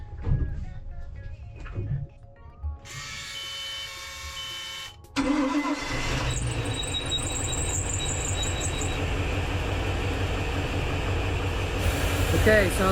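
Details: Volvo Penta starboard marine engine after an electric fuel pump replacement: a few seconds of handling noise, then it catches and settles into a steady, even idle with no misses; normal start and idle.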